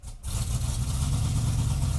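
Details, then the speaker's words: 1998 GMC Sierra work truck, 13,341 miles, just restored, first start with a short muffler. Deep, low, slightly choppy rumble holding steady at idle with no ticks or knocks; sounds good and not too loud. "So for it's- being a little short muffler behind it, it's not that loud. yeah, dude, it Sounds good."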